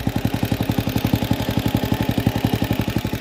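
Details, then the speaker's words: Honda CG carbureted single with unrestricted CDI (about 1250, very high rev limit), replacement carburetor and new jet fitted: revved hard, fast beat stumbles with dropped pulses, misfiring only at high rpm, fine at low and mid; cause unconfirmed. "Coloquei o carburador, coloquei o giclee. Ó. Tá falhando que só."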